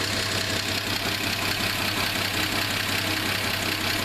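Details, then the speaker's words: Chrysler Slant Six, manual transmission for first 149K miles, at idle: fairly regular knock under two per second over steady idle; owner suspects worn main bearings, not confirmed. "I heard something I think this old slant is going to need some main bearings put in it you hear it"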